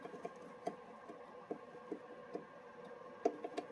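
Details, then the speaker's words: Mercedes W211 4Matic, driver-side front upper control arm ball joint disconnected and rocked by hand in a quiet bay: sharp, irregular clicks from play in the worn joint, confirmed as the source of the knocking noise. "So this is definitely what's giving me a knocking noise."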